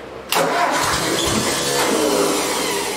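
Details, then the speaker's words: 1964 Ford 4000 tractor, first start attempt after converting points and condenser to electronic ignition: starter grinds briefly, then engine catches roughly with a ragged, uneven run; struggling to start. "It's trying to start."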